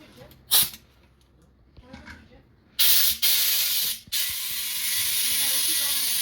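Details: Car tubeless tire with a slow leak, losing pressure from 20 to 16 psi: while inflating with the valve core removed and lubricant on the bead, short bursts of hiss then a steady loud rush of escaping air; the bead has not sealed on the rim yet.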